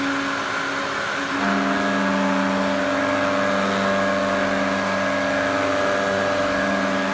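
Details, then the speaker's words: Electrolux 502 vacuum cleaner after oiling its bearings and about ten minutes' run-in: steady motor whine with a faint rough undertone; bearing noise a lot better but not perfect, a partial success. "so I've left this run in for about ten minutes and it's definitely sounding better it's not perfect but it is definitely a lot better than what it was"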